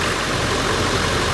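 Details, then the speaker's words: 2000 Ford 7.3 diesel just after oil cooler seal replacement: even idle with light clatter over steady low rumble, no misses; no oil pouring out as before, though a separate leak appeared after about 10 minutes. "Okay, we got it running. So far it looks good. Normally when I first started up, it was just pouring out oil."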